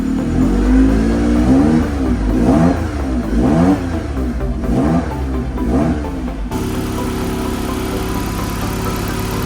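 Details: Abandoned Ford Sierra Sapphire RS Cosworth, not MOT'd since 2014, after fuel tank wiring corrected: engine blips up and down about once a second, then settles to a steady even idle, no misfire or knock, temperature rising; runs fine.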